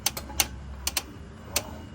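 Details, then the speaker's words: 2015 Tesla Model S clicking when the steering wheel turns: sharp irregular dry clicks over low hum, traced not to the rack internals but to two steering rack mounting bolts; fix was loosening them. "Alright guys, so I figured out what's causing the noise. So I thought at first it was something inside the steering rack, but all I did is I loosened up this bolt right here and that bolt right there."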